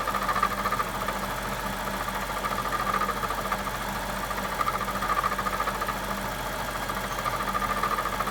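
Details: 2007 BMW 750i V8 at idle: steady idle with light fast ticking and a chirping tone coming and going every couple of seconds; strange engine noise, cause unclear.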